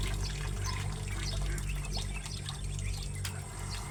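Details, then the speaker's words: Small 0.5 size direct-connected water pump motor, no tank, filling a duck pool: low steady motor hum under gushing, splashing water, no rattles or grinding; running normally with good flow. "Maliit lang itong motor na para sa tubig pero pwede na rin. Malakas na rin ang binibigay niya na tubig."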